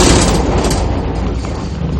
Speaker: that's from cavitation and uh this is not our boat our boat doesn't shake this much